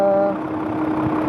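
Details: Isuzu 6WF1 diesel truck engine started after overheating repair with turbo-to-intercooler pipe refitted, held unrevved so oil circulates: fires straight into smooth, steady low idle, no knock or uneven beat; normal idle.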